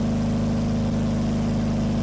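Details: Twin Crusader boat engines both running at idle, oil pressure 40–50 and temperature about 140, slight exhaust smoke judged normal: steady, even low rumble with a smooth regular beat and no stumbles; both idling cleanly.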